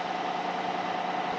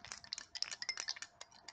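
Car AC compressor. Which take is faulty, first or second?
second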